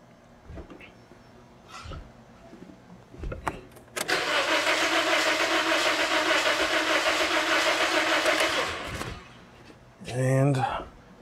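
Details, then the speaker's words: 2009 Toyota Corolla with misfire, new coils, plugs, injectors and PCM, cranking about five seconds on scope: lopsided starter rhythm, cylinders three and four low compression, most likely head gasket. "so this here is gonna be my relative compression wave form every time a piston is coming up on this compression stroke the starter draws more current depending on the compression t"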